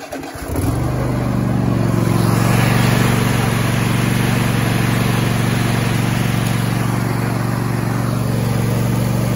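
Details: Cub Cadet riding mower that wouldn't start, jump-started with jumper cables: brief crank catches almost at once, then the single settles into a steady, even idle with a firm low thrum; normal start.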